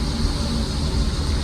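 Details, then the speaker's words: Mercedes W124 under restoration, first test drive: steady high-pitched squeal over road and engine noise while driving, from the accessory belt and a noisy pulley; belt may be dry but the pulley is mostly to blame. "यह जो इसकी belt sound है ना यह बड़ी annoying है। पुली इसकी आवाज है। बेल्ट है।"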